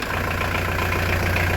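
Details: Restored diesel camper van with a new engine radiator, idling to warm up while coolant and exhaust are checked for leaks. Deep, even rumble holding its rhythm without missing or knocking; healthy idle.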